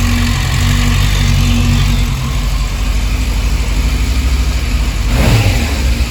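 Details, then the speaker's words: Yamaha FZS600 Fazer four-cylinder after clutch plate replacement and spark plug cleaning and re-gapping: steady idle with crisp rev blip, no clutch plate noise or rattle; RPM needle steadier and less jerky than before. "बिल्कुल ठीक है जी कोई आवाज नहीं आ रही फिलहाल जो clutch plate की हो तो फिलहाल ठीक है"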